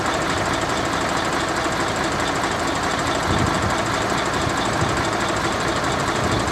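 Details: Mercedes-Benz Actros 1844 truck that had been hard starting every morning, now at idle: a steady, even diesel clatter with no stumble or knock. The engine is now running as it should.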